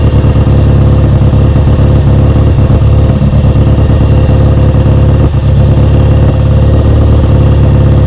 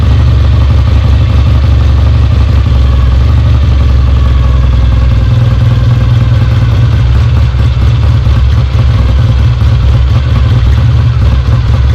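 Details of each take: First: Kawasaki W1 twin, first start after restoration, carb being set up: uneven loping idle that wants to stumble, won't hold idle off choke; idle circuit is clear, owner suspects a vacuum leak or a too-small pilot jet. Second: Rebuilt Kawasaki W1 on its first start, tank off, idle and fuel mixture not yet adjusted: deep, loud, fairly even twin beat holding steady. Engine runs and oil is flowing from the lines, showing the oil pump works.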